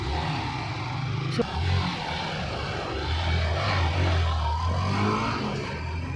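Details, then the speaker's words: Motorcycle road test after a clutch refresh with PMS. A low, even engine drone pulls cleanly with no clutch rattle. Before the repair it stalled and made noise and clatter; now it is quiet like a silencer and pulls strongly. "Tahimik na, para na siyang silencer. Tapos yung hatak niya, kamusta? Panalo."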